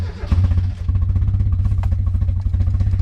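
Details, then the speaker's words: Cheap Mazda Miata idling after cam seal and thermostat housing repair: deep, steady, quick, heavy knock under the engine note; owner is sure it is bad rod knock. "i'm 100 sure actually this thing has got rod knock pretty bad it sounds like it idles"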